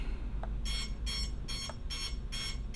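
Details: Quad with a FrSky-style receiver bound to a Jumper T16 Pro multi-module, tested during receiver frequency tuning: shrill beeps repeating about twice a second, the failsafe alarm signalling lost receiver signal.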